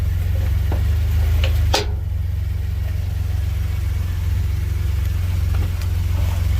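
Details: 2016 Ford Expedition at idle; one sharp metal-on-metal clunk or pop each time it is shifted between drive and reverse, then idle continues; loose driveline or mount suspected, cause not confirmed.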